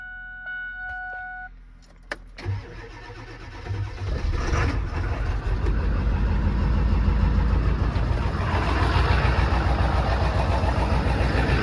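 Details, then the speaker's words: 7.3 Powerstroke diesel truck, about 740,000 miles, on Rotella 15W40, after sitting a while: brief starter whirr, quick light-off, even steady idle clatter; normal cold start. Owner thinks a fuel additive might help stiction. "I think it could use a fuel additive for the stiction, seems like, but overall, great running truck. Fires right up every time."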